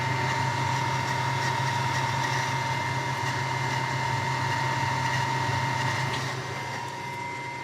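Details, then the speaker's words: Solar inverter, recorded up close: a steady high-pitched whine over a constant rushing hum from its small cooling fan running nonstop, far from silent with the door shut; loud whining cooling fan. "Obnoxious, ain't it? Sounds like a box of rocks. Everybody said it it it's silent once you shut the the door. Far from silent if you ask me. It's got that high-pitched whine."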